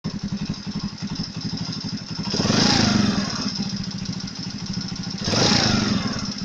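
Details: Chinese Alpha moped single: quiet when cold, steady light knock develops when warm and persists through throttle blips; heated head enlarged the camshaft bearing seats, fixed with 10 mm copper foil shims under each bearing.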